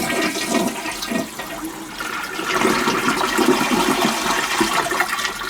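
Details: Toilet tank after flapper replacement, flapper chain adjusted: strong rushing flush followed by swirling water draining away cleanly, no hissing afterward; the flush valve works as it should.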